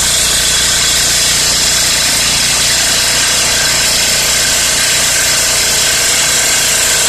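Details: Four-stroke generator that ran but gave no electrical output, after replacing the capacitor (20 µF plus 4 µF, totalling 24 µF): loud steady buzzing drone at constant speed, no knocks or misses; engine running evenly and healthy.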